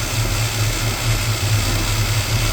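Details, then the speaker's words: 1987 Chevrolet V10 V8 after a new Carter fuel pump install, primed by mouth-sucking fuel to the filter: an even, steady low burble with no misses or stumbles, idling normally, though the filter is not full of fuel. "Put the pump running. Was able to prime it. Uh, it's running."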